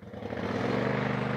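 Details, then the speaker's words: Kohler Command CV22/CH22 23 hp twin after swapping the SAM ignition, which lost spark on both cylinders when warm, to standard coils: test fire with some choke, smooth even twin-cylinder beat, no misses; runs great down to idle. "yeah she runs great rare down to idle here perfect"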